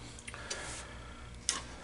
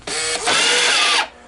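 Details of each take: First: Green Stripe American Changer coin hopper on the bench: short clicks, then an even high electronic buzz holds steady for about three seconds and stops cleanly; the changer powers up normally. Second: American Changer green-stripe coin hopper on the bench before rebuild: a short high motor whir stops, then restarts at a different pitch for about a second and cuts out, reversing because something is stuck inside.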